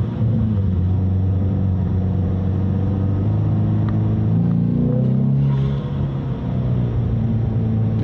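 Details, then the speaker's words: Ford Mustang EcoBoost (direct-injected), recorded inside the cabin, accelerating on a 91°F day just after CRC GDI valve and turbo cleaner treatment; deep steady exhaust drone, no misses, rattles or whistles; pulls slightly stronger than usual; normal. "It's running like it normally does. Nice and strong, which, considering it's 91 degrees out, it definitely feels like it's pulling just a tad bit stronger than it usually would."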